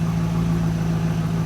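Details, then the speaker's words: Stock 2002 Pontiac Trans Am WS6, nearly 200,000 miles, after replacing a worn spark plug: steady, even low idle, smooth drone, no stumble; no misfires on cylinders four and five, the plug was the cause all along. "know it sounds fine five that's four and five no misfires yep it was a plug the whole time"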